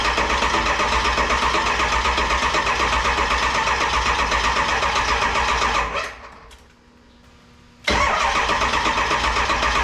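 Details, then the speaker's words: 7.3 Powerstroke diesel swapped into a 1951 Ford shoebox after cutting wires for standalone wiring; steady, rapid cranking at about four turns per second, a pause, more cranking, no firing. Owner hoped it was only glow plugs, then found the IDM unplugged. "I know why it won't start I'm a genius sometimes I didn't disconnected the IDM so I could maneuver wires easier this is the injection delivery module I think is what they"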